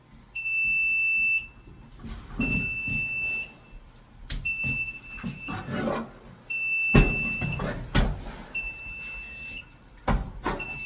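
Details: Apartment fire alarm panel during a backup battery swap, with a nearly corroded terminal and the power-trouble condition not yet reset: a sustained high-pitched tone of about a second repeats every two seconds over handling clatter. The trouble beep is still sounding.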